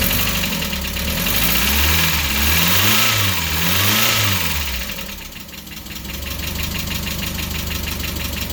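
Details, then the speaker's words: Mazda Miata just restarted after the intake was completed and fittings tightened, supercharger belt pulley not yet fitted: revs up and down, then a smooth, steady, slightly low idle with no belt rattle or chirp. Normal idle. "[Music] so there you go engines running everything spinning around"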